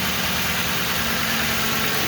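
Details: 2005 Ford Crown Victoria 4.6L V8 idling with a steady, even hum, no knocking or squealing, after the failed, noisy AC compressor was bypassed with a shorter belt; the annoying noise is gone, normal idle.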